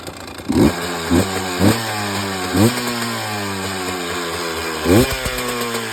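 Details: 2018 Husqvarna TE 300 TPI two-stroke idling with irregular throttle blips and uneven rough bursts; unknown cause; abnormal engine noise.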